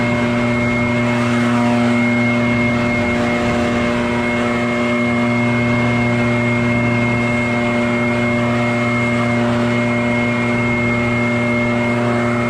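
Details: Barn-find Echo PB650 backpack blower on fresh gas after years stored, clearing a shingle roof: high, steady two-stroke drone with constant fan tone, no surging or sputter; normal running under load.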